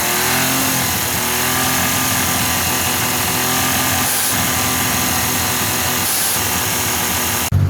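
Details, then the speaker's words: Suzuki DF51V turbo kei minivan, fully warm, after valve adjustment: busy engine with light, even clicky-clacky valve ticking, previously almost too smooth; valve train noise now normal and healthy. "So one thing I noticed right away is that there's more of a clicky clacky valve noise now, which it sounds healthy. Before it almost was so smooth, it was almost too smooth."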